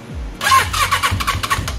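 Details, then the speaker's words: Suzuki GSX-R750 motorcycle, neglected in storage, carbs rebuilt, new spark plug: cranking with sock over plug hole, strong even puffs on each stroke showing compression; cranking no-start with good compression, gauge test still to follow. "be pushing that bucket gives you a good idea you can hear you can hear the compression"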